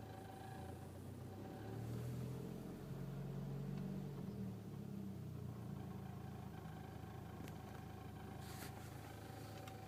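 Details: 2006 VW Golf Mk5 GTI, weird engine noise only on cold starts in cold weather, heard only below 1000 rpm, disappears above; low wavering droning idle tone swelling briefly then settling, cause unknown; cold-start engine noise.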